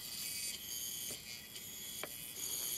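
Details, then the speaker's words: Opened Linksys wireless router, powered: thin steady high-pitched whine with faint buzz as board components vibrate; owner suspects hot capacitors with high ESR (dried out) are bad. Electronic buzzing/coil whine, cause not confirmed. "okay I wanted to show you really quick I opened up the wireless router it's making this buzzing noise which is really obnoxious"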